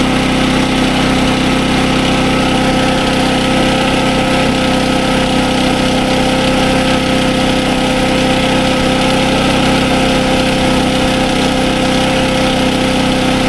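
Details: SDMO 5000W generator, Briggs & Stratton engine (about 18 hp), after repair of no-output fault: runs super well, putting out good voltage, about 140 V, handled a roughly 1000 W heater load test. Steady constant-speed drone, firm hum, no hunting or misses; normal running.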